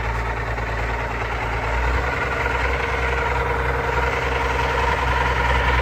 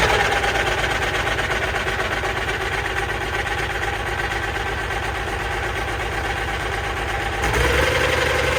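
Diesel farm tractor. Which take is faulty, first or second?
first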